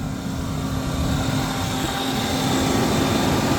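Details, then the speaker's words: BMW E38 750iL V12, former parts car, after fuel delivery restored: steady even drone with smooth constant hum, no knocks, misses or rattles; normal running. "not bad not bad yeah runs really good"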